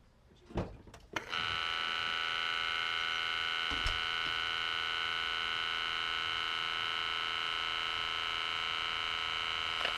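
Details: VW Lupo 3L 1.2 TDI after replacing the 2015 gearbox hydraulic sphere with a Febi unit on an adaptor, microphone left near the pump: a couple of clicks, then a steady high electric buzz holding evenly for several seconds; gearbox pump runs normally.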